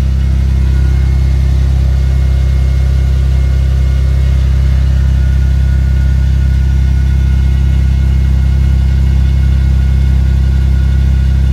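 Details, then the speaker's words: Vauxhall Vectra B GSi idling after refitting the fuel tank with new pipes and fresh fuel, with Magnex stainless catback and 200-cell sports cat: deep, even idle with steady low exhaust drone, no stumbles or ticks; normal idle. "And there she is, running like a dream. And running a lot better now that it's got fresh fuel in it."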